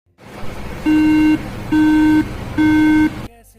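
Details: Apple iMac A1311 at power-up: three even, long mid-pitched beeps about a second apart, repeating; startup error code, memory (RAM) suspected, not confirmed.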